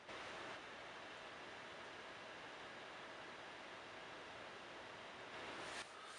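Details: Early-2011 15-inch MacBook Pro held close to the microphone while running iMovie, Parallels and Photoshop at once. The fans run fast under this load with a steady, even airy rush, no rattle or ticking; loud but healthy.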